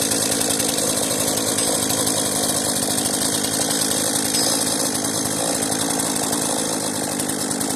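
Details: Cheap modern chainsaw, a marketplace find, idling on old fuel left in its tank: a high, buzzy two-stroke drone holds steady without surging or dying. The carburettor is working. Normal idle.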